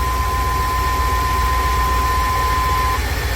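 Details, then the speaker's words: 1999 Chevy Express 3500 van with a no-start problem, running after wires were soldered, not yet fully warmed up: loud idle with an uneven, wavering pulse. Rough idle, and the ignition timing is to be checked once warm. "ahí está para el motor se siente tembloroso voy a checar el tiempo"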